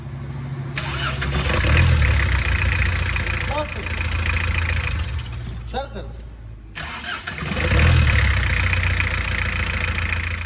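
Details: Diesel engine (4D56/D4BB/D4BH/2L/3L-type) after fixing a hard start by advancing the injection pump timing one tooth: two brief cranks, each catching almost instantly into a steady idle. Prompt start, no hard-start drag.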